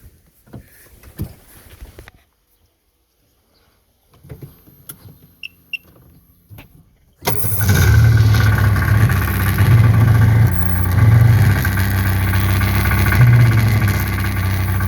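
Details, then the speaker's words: 2004 Sea-Doo 3D XP running with a heavy, pulsing low rumble and vibration; the driveshaft carrier bearing area gets hot quickly and owner suspects the bearing is shot; driveshaft carrier bearing noise and vibration. "shaking and making noise in there this thing gets hot pretty quick too it's a bearing shot"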